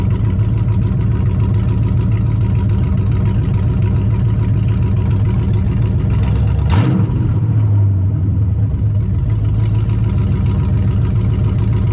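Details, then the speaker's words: Vortec V8 (SBC 383) swapped S10 on a test drive, stopped after tuning. Deep loping idle around 850 rpm, slightly high, with a quick rev and settle and even cam chop, not misfires; healthy and much better than before. "And if you listen, even though we have that idle that's, I think, is a little too high, I think you can tell there's a little bit of actual cam chop in there and not, you know, misfires. So it sounds pretty good."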